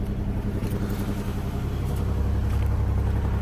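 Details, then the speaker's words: Engine just restarted after replacing lower intake and head gaskets for coolant loss and smoking: low rumbling idle with an uneven, lumpy, wavering pulse, still shaky, some smoke at the back; rough idle, cause suspected, not confirmed. "Ooh, and there she goes. Still sounds a little shaky, but"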